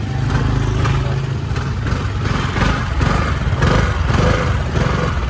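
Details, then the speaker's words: 2018 Honda SH300i scooter with throttle judder on pull-away: low rumble with irregular metallic clatter (cạch cạch) from a badly worn, loose CVT clutch. "đây cái nồi nặ nó bị chuột luôn nó đang bị rung nặng lắm nha"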